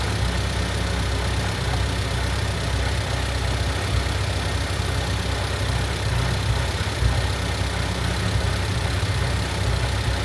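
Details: Honda Civic EG Mugen hatchback four-cylinder after valve seals, timing belt and water pump replacement, idling not yet up to temperature while ignition timing is set to 16° with timing light, timing wire jumped: steady, even low idle, no knocks, misses or ticks; healthy.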